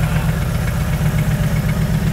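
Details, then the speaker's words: 2JZ-GTE turbo six in a Mercedes SL500 swap; lumpy irregular idle. There is no injector signal to cylinders 1 and 2 although the wiring from computer to injectors is unbroken, so the faulty computer is blamed, and crankcase pressure blew the front seal. Two-cylinder misfire. "all right so we checked and these wires are unbroken from the computer to the injector connectors so we know this computer is having problems that's the Smoking Gun"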